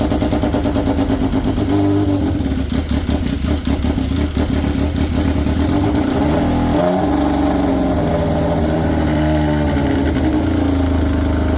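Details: Polaris RZR XP with swapped Yamaha Nytro triple engine, straight-piped, first fire-up: loud raspy even pulsing, blipped then settling to steady idle; engine sounds healthy, normal idle.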